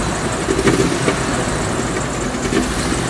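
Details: 2003 Land Rover Discovery 2 idling with a few sharp, uneven knocks over the running sound; source unclear.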